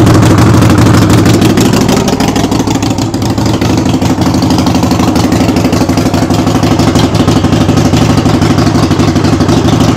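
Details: Harley-Davidson Sportster after brake switch repair, warming up for an oil change with the rear wheel jacked up and spinning in first gear: loud, lumpy, steady V-twin beat with a little freight-train mechanical rattle; normal running.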